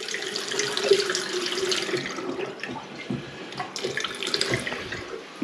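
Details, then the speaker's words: A tap that had given no water, now after its body was changed: a steady splashing rush into the sink with a few drips and a brief gurgle; water flows freely again. "Oh, that sounds a bit. That sounds a bit better. Sounds like there's water going somewhere."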